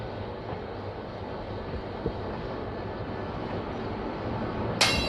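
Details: Steady rumble of a passing train with irregular sharp cracks and a brief squeal near the end; it cracks as it passes, cause unclear.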